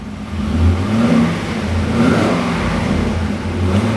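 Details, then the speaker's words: C6 Corvette V8 just after first start-up following fuel line priming: steady idle with light blips, no lifter tick or rod knock, sounding quiet and healthy. Normal idle. "nice and quiet. No lifter noise, no rod knock. I don't want to rev it too much, but it sounds really good."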